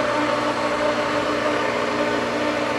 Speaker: And we do have water coming in. Slowly, it's speeding up. Hopefully we're not sucking any air from here, which would impede that, but we'll see.